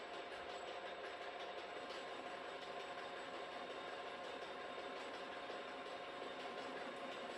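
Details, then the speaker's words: Milling machine drilling a steering/pivot joint for an old 2-stroke Yamaha outboard: steady thin rattling whir with a faint high tone under the drilling, rougher than it should be; operator suspects the machine's gears, cause unknown. "and that noise you can hear the sound kind of bad I think it's coming from these gears here I don't really know what it is but we just leave it alone for now"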